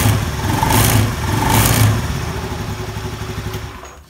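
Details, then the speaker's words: Honda Beat scooter, CVT recently serviced and pulley bearing replaced: engine blipped twice, coarse rek-rek rattle under throttle; CVT cover then opened to look for loose parts. "Ini waktu digas dia bunyi rek rek rek gitu. Padahal laker puli sudah diganti."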